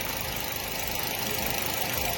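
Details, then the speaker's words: Nissan Y12 after a misfire repair (spark plugs replaced, coil swapped, damaged wiring spliced and sealed): steady, even idle with a smooth hum and no misfire, confirmed by scope. "reinstall and start and as again vehicle is on no misfire"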